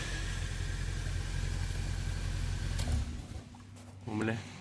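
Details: Opel Corsa B 1.2 8V (1993–1998) that would not start due to a blocked immobilizer, now starting after the Delco ECU was unlocked and the immobilizer disabled. It fires up and holds a low, smooth, even rumble; normal running.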